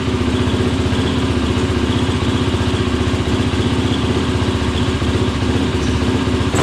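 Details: 2003 YZ450F engine in an off-road Simplicity lawn tractor, after carb rejetting: steady, even single-cylinder thump at fast idle, no stumbling or popping, running without choke; much better.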